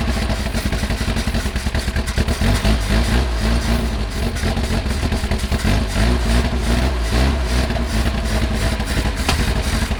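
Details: 1979 Lotus Esprit, mid-engine, long sitting, fresh gas added, clear fuel filter showing flow but old fuel suspected gelled; loud engine with ragged uneven firing pulses, stumbling: rough running, cause unclear.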